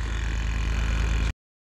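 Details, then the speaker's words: Ford F-series diesel truck (F-550) during a cold-start revival attempt, key on and possibly no working glow plugs: fast, even clicking over a low steady drone, possibly a small electric vacuum pump cycling; the cause is unconfirmed. "Listen to that clicking noise. What is that a little vacuum pump"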